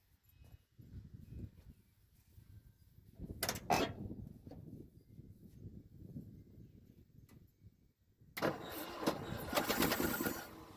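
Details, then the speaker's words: 1976 Ford F-250 with a Holley 600 vacuum-secondary carburetor and frozen-open choke, first start attempt after the starter repair: slow uneven cranking, then a loud ragged burst for a couple of seconds that fades; it runs only on fuel primed into the bowl. "well I'd say something happened have mercy let's put a little more fuel in the bowl so I'm going to hit it again I'm going to try to pump the accelerator get it to run a little bit longer"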